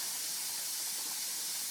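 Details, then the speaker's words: Pressure canner venting steam for 10 minutes before the weight goes on: a constant, high, airy hiss with no pulsing or sputter. Normal venting. "The canner is boiling away. You can hear it maybe, and you can see the steam coming out of the top. It's been venting for 10 minutes, and it's time to put the weight on."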